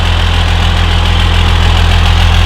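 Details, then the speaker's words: 12V Cummins diesel just rebuilt with stage 2 cylinder head and valve adjustment, first start: deep, steady, even idle with no misses or knocks, no exhaust smoke, cleaner than ever; a small boost leak found afterward. "Sounds good. It's running pretty good. The valve set job is all right. We got no smoke out the exhaust."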